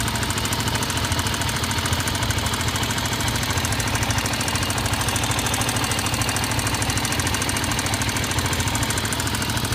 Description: Honda XR 250 появляется и пропадает стук, звук идёт из головки. Одна из причин: не отрегулированы клапана.